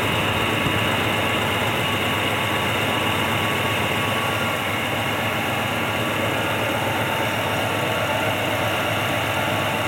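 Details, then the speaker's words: 1967 Pontiac ambulance V8 running in the evening: steady, slightly uneven puffing idle from an obvious exhaust leak; it otherwise runs well, but stalled a couple of times at idle and does not idle well. "can hear the engine running pretty good there is obviously an exhaust leak"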